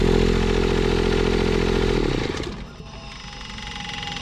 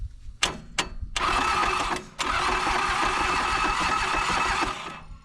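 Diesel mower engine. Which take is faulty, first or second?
second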